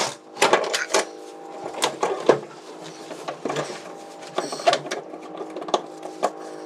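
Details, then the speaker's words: Classic Ford Thunderbird fuel tank, dropped from the car and shaken; loose, gritty rattling in bursts like a rain stick from heavy rust flakes inside; rust debris rattling in fuel tank. "Could you hear that? Could you hear the rust in that tank? That's one of the worst I've heard. Only my buddy's BMW was worse than this. Sounded like a rain stick."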